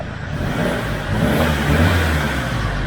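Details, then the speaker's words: SsangYong Rexton Sports Khan turbo diesel after refitting the blown-off turbo-to-intercooler intake hose with a new clamp: engine starts and revs with an even, unbroken roar, no whistle or hiss; healthy again. "다시 정상으로 돌아왔네요. 여기 별거 아닌데 터보 쪽 인터쿨러 이쪽으로 연결되는 인테이크 호스인데,"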